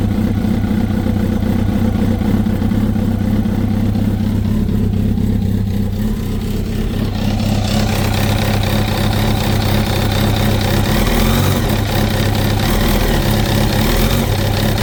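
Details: 2005 Kawasaki ZX-10R (Gen1), 41,000 km (25,500 miles), idling and blipped: steady knocking throughout; cam chain, tensioner replaced and valves adjusted without change; owner suspects clutch basket back springs, not the generator; cause unconfirmed.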